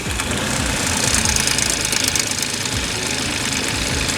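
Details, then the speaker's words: 2016 Audi supercharged V6 with timing chains at rear of engine, runs only briefly: loud, uneven metallic knocking and rattling; severe knock, chain noise suspected, oil filter full of metal and brass chunks. "Okay. Sounds like chains, dude. Yeah, pretty bad."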